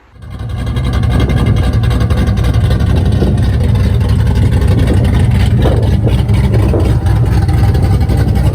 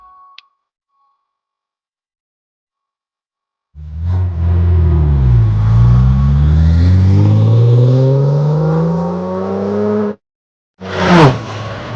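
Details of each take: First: Corvette V8, rebuilt with a piston swap after hydrolocking from a hung injector and a rod knock, now gives a strong, even, steady roar with no knocking; healthy and pulling cleanly. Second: Corvette V8 after hydrolock from a hung injector, one cylinder's coil and injector disconnected, revving with a rough, uneven lope on seven cylinders, before teardown: dead cylinder misfire.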